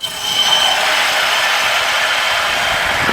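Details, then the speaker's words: Newly installed gas water heater in a garage, water just turned on: steady hissing rush with faint whistle as air pushes out of the heater into the plumbing; normal air purging. "you can hear that noise that's air pushing out from the water heater into the system"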